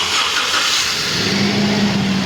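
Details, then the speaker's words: Toyota Prado 2TR engine just started after a full overhaul with fresh oil and filter: runs steadily with a hissy top-end wash and faint tone; noise expected to smooth out as the engine runs. "माशाल्लाह से engine जो है start हो गया है ये जो आवाज ए रही है ये इंजन के साथ-साथ चलने से बिल्कुल हॉकी हो जाएगी क्योंकि इंजन अभी स्टार्ट किया"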